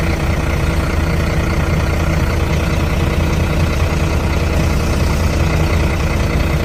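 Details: Truck parked four days in hot Goa would not self-start; jump-started from another truck's battery and now idling normally: deep, steady diesel rumble with an even beat, no knocks or misses.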